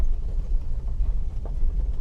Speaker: 这个车之前我测试过越野给大家看的，我们试一下它底盘的异响。我选择从这边上去了，一点异响都没有。